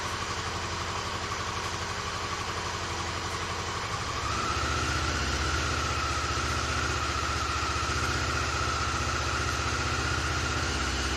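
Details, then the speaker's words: Honda CB-1 four-cylinder motorcycle during refurbishment, cold start: uneven lumpy idle at first running on two cylinders, then third and fourth cylinders cut in and the beat fills out; misfire on two cylinders at cold start. "you could hear it started on two cylinders then the third cylinder kicked in and then the fourth one"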